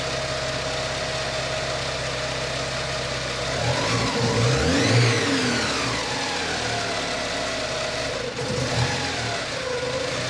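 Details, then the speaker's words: Porsche 944 8-valve naturally aspirated engine with a Lindsey Racing MAF conversion kit replacing the OEM airflow meter, power wire jumpered to the blower relay. It starts promptly, revs and settles to a smooth, even idle with no issues. Later there is slight tip-in hesitation, possibly from running lean. "well looks like that did the trick the engine started right up and didn't present any idle issues"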